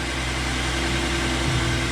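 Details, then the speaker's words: 2014 Ford F150 3.5 EcoBoost, about 91k miles, after new plugs and coil packs for P0303 cylinder 3 misfire: smooth, even idle with steady low drone, no skips, vibration or stumbling; running cleanly. "And it already sounds and appears to be idling much smoother. No vibration like it was before."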